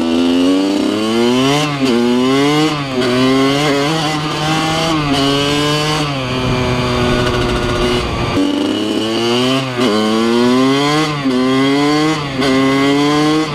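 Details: 2003 Kawasaki KX100 junior motocross two-stroke ridden under load: high buzzy note rising sharply through each gear with quick shifts and clean revs; fast, super punchy power band, pulls strongly and healthy.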